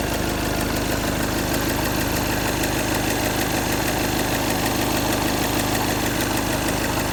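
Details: Skoda (A7, Octavia) 2.0 TDI diesel idling: a light, fairly regular knock about three a second over the usual clatter; engine knock, source unclear.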